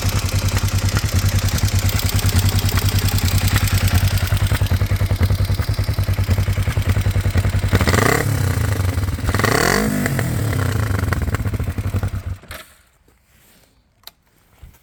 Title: kawasaki er-5 1998 - weird engine sound (valvetrain?)